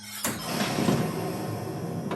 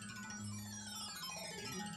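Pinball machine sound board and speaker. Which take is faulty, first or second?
first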